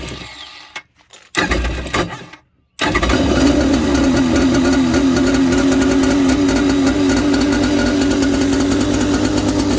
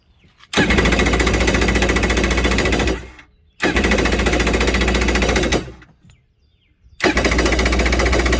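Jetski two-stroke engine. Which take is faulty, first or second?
second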